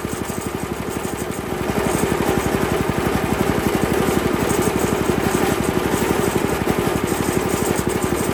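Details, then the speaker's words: Honda GX160 on Workman 2 Multimixer cement mixer, idle mixture screw just under two turns out, falls on its face when revved; idle thumps about four beats a second, swelling and sagging unevenly; valves set too tight; it later died. "[Music] [Music] still no very weird I'm going to screw with this a little bit"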